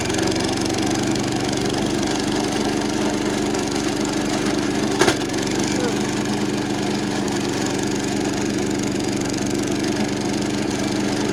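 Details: 70-year-old National reel mower, Clinton engine under mowing load: strained, low drone with one sharp clack, sounding like it's working super hard; flywheel found cracked and loose.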